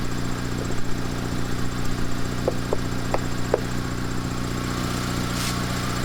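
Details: Two-door Mitsubishi Lancer CE, started straight away on a battery that held its charge, charging at 14.5 V: smooth, even low idle with a steady rhythm and no knocks or misses. Normal idle.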